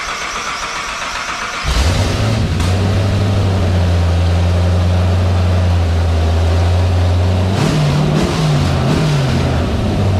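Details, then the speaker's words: 1959 Chevy Apache restomod, twin-turbo LS3 on first startup tests with VATS-removed ECU: cranks, catches and idles roughly a few seconds on starting fluid then stumbles; won't run on fuel, injectors powered but no pulse, suspected wiring fault. "um I have got power to injectors but I can't figure that out so I'm gonna go get a proper wiring diagram download that but she runs on uh on starter fluid"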